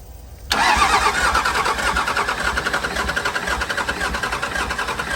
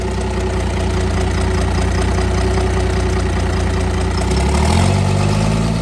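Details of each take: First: Cummins diesel burnout truck, previously overheated and thought blown up, cranking to restart; starter churns with uneven, sagging pulses, not catching, battery voltage dropping under load: weak cranking from low battery voltage. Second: Cummins diesel burnout truck thought blown up, restarted; steady, even idle with regular clatter, no knock, briefly revving near end; slight sewing-machine exhaust kick said to be normal and common on these: normal idle.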